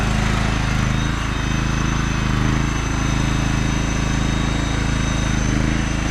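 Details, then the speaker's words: John Deere LX186 riding mower, 17 hp Kawasaki engine with hydrostatic drive, test drive: steady, even engine drone and low hum, no knocks or whine driving and reversing; hydrostatic seems good, mower runs and drives well. "Well, it actually runs and drives pretty Good. I was testing the reverse."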